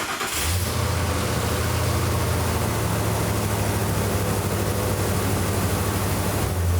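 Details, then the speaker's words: 2004–2008 Ford F-150 5.4L after fitting a new aftermarket muffler and exhaust system, cold startup then idle: starts quickly and settles into a steady, deep, even idle with no blowing or rattling; sounds stock, normal idle. "Wow, now that does sound stock. Nice."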